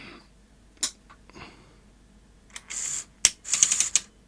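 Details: Sony SL-HF600 NTSC SuperBeta VCR on power-up after refitting the board with two leaf switches and resetting back tension: irregular clicking and ratcheting bursts from the tape mechanism. It still thinks a tape is loaded and is misbehaving.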